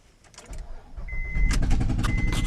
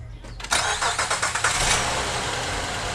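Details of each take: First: 2007 Honda Pilot, noise began after driving off a ramp, O2 sensor bank 1 sensor 1 code: uneven sharp pops and puffs over exhaust rumble, lawn-mower-like; misfire from blown-out spark plug. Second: 2007 Honda Pilot, first generation, with lawnmower-like popping and a bank 1 sensor 1 O2 code, after fitting a used ignition coil: quick cranking, then it fires and settles to a steady, even idle with no popping.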